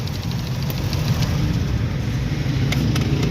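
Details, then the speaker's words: Ford no-start with no spark or injector pulse, started on a jump from another battery: catches and settles into a steady low idle with even rumble, no misfire or knock; cause was a completely dead battery. "हमारा battery का टोचन की है गाड़ी मारी start हो गई है"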